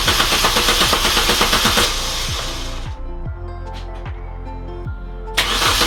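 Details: Salvage-rebuilt Mini Cooper R52 first start after full rebuild with new belt, clutch and redone sump gasket, cranked to build oil pressure first: a few seconds cranking, then catches and settles to a smooth, even idle with no knocks; healthy.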